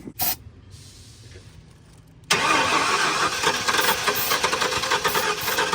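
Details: 1994 Ford F-150 parked seized for 7 years, fresh gas, primed fuel line: starter spins engine over at a steady few beats a second but never catches; loose distributor threw timing off, fixed by tightening it.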